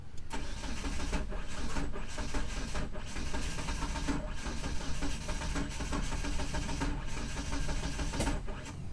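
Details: 1997 Mitsubishi Eclipse GSX with 6-bolt engine swap, first start attempt on a jump pack: steady starter churning several seconds with no catch or rev rise; an injector sprang a leak, and the cam angle sensor wiring was later redone.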